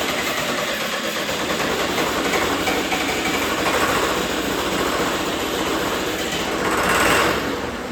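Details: John Deere 450C bulldozer diesel, reassembled, injector lines cracked: continuous even cranking with no firing pulses or pickup; crank no start, fuel shutoff solenoid getting no power.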